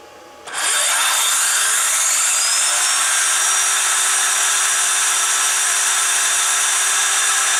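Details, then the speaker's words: Saw powered by a DPS5015 buck converter set near 22 V with the overcurrent limit raised, because it draws many amps to start: rising whine spins up in under a second, then holds a steady high pitch. Running normally. "so it's interesting this requires a lot of amps to get it rolling but it likes they seem to like certain voltages"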